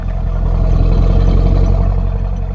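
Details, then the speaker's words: GM coupe with 5.7-litre V8 on a stock exhaust, warmed up after a full day of driving: a deep steady burble that swells smoothly with the throttle, with no knocks or misses. Normal, healthy V8. "She sounds good, although I do need to cut that off and get an exhaust at some point."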